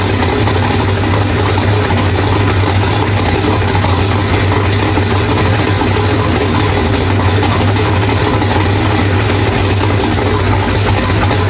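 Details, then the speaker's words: Drag-race car with Powerglide, after loose ARP flex plate bolts found, new ATI flex plate and stator installed; loud steady deep idle, no bellhousing rattle or knock; sounds healthy after repair. "All right, guys. Well, everything sounds really good."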